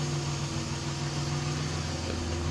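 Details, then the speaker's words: 1990 Dodge Grand Caravan LE after front brakes and suspension rebuild, driving at highway speed (about 70 mph): steady low engine hum under cruise, even pitch, no knocks or squeals, no wind whistle from new seals; running well. "good. It's running good. Went down the highway just fine. 70 miles an hour, no problem."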